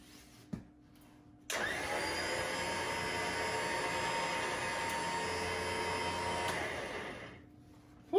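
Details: Rough Country winch on a Ford Raptor, first run after fixing a poor ground on the corroded mount: motor spins up sharply, holds an even steady whine about six seconds, winds down cleanly; normal operation.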